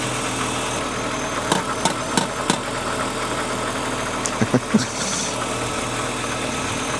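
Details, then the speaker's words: BMW E36 after EWS immobilizer delete and ECU flash: petrol engine holding a steady idle with a few sharp handling clicks nearby, running smoothly. "You just delete it EWS and it runs. So, well, car's not dead."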